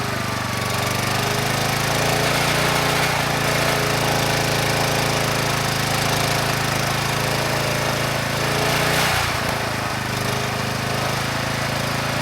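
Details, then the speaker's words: Kubota A5000-3-120-Y 5000 W generator, previously seized engine freed, carburetor cleaned: runs strong, loud steady high-speed drone making AC and DC power, but governor never pulls throttle closed, stays at full speed. "are things considered this is doing pretty well the engine it sounds good the carburetor is running the engine very well and we have power both on the AC side and the DC side but that Governor it's not responding at all"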